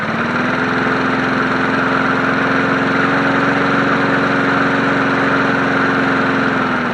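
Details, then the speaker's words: Free 1980s John Deere NO20K push mower as acquired, first run before maintenance, filmed from tripod: steady, even small-engine drone at constant speed, smooth firing rhythm, no knocks or misses; runs healthy. "Not bad. And then of course it shuts off by the kill switch up here. So all this works."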